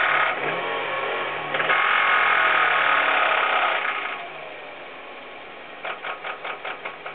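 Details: Hyundai Coupe petrol engine revs then settles, with a sharp rhythmic knock about five times a second; the cause was found to be a distorted connecting rod.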